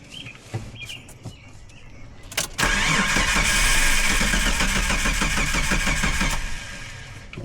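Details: Jeep: starter spins at an even three to four beats a second but it never catches; cranks, no start.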